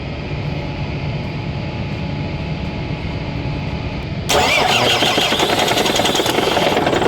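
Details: MAN mixer truck diesel that would not start; after a cut wire from the ignition switch to the starter relay circuit was spliced, the engine catches abruptly and settles into a steady, even idle clatter, starting and running normally.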